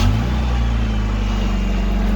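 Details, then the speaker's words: 2.5 Iron Duke four-cylinder with 5-speed just after start-up: even, low drone with a steady beat, no ticking or stumbling; runs like a top, normal idle. "everyone runs like a top for what it is"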